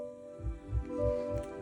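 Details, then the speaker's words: 2024 Chevrolet Equinox EV in reverse with the front exterior pedestrian speaker unplugged. A steady synthetic multi-tone hum with a soft low pulse about three times a second is still heard, because the reverse alert remains active. In drive there is no sound. "that's reverse. So, you can still hear that one."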